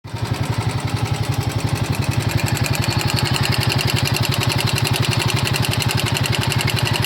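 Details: Royal Enfield Himalayan 450 at 12000 km with irritating engine noise; rapid even ticking about three per second over a steady single-cylinder idle, a clattery mechanical noise above normal running.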